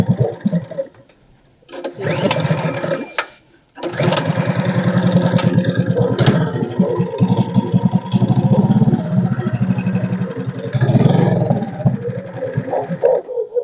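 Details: Tillotson 212 mini bike engine after fuel delivery repair, started on choke: coughs, catches and settles into a steady single-cylinder putter; fuel getting through, runs fine.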